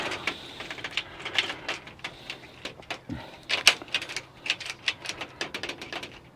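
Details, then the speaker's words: Bus door lock just replaced, tested with key: rapid irregular light clicks with no firm latch, the lock clicks but won't lock; installer suspects he damaged it during fitting. "It's not locking. I can hear it clicking. That should be locking."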